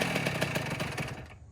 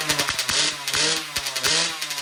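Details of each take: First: 2009 Kawasaki KX85 two-stroke after rejetting from 35 pilot/135 main to 40 pilot/140 main: crisp, evenly spaced pulses revving cleanly then dropping away; carburation now right, engine running properly. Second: 2009 Kawasaki KX85 two-stroke after carb clean, fresh fuel and new jets, choke on: a few kicks, then a fast busy idle that won't settle; running lean on too small a pilot jet, possible air leak suspected, another jet change planned.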